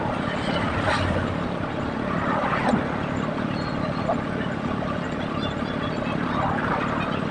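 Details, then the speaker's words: Honda Vario 105 ex-flood scooter, CVT being serviced with used pulley bearing: steady rough running with uneven crackly rattle like a piston noise, from wobbling roller bowl in the CVT pulley; to be shimmed with oil-can sheet. "Mangkok roller goyang, jadi bunyi dia kretek gitu kan, kayak bunyi piston."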